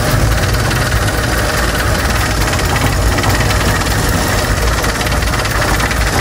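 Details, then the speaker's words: Toyota Corolla AE92 (1K) misfiring at idle for about two weeks. The idle is heavy and uneven with a shaky low throb and a loose rattle from something vibrating. Rough idle with vibration. "Chok, ano yung nagbabibrate na yun, Chok? Yan o, dinig mo. Pangit na under niya guys."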